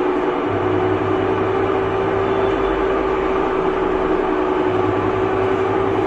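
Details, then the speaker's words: Samsung top-load washing machine during spin: loud constant whirring drone with a steady mid-pitched hum throughout; the excessive spin noise comes from a faulty gearbox. "तो spin के time प बहुत ज्यादा sound आता है अगर sound बहुत ज्यादा आता है इस तरीके से जैसे कि मैंने आपको दिखाया था मशीन चला के तो वहां पे क्या होता है इसका गियर बॉक्स खराब होता है तब यह दिक्कत आती है"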